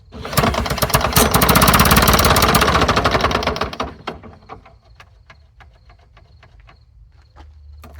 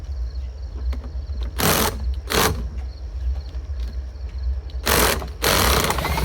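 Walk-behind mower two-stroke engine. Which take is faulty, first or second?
first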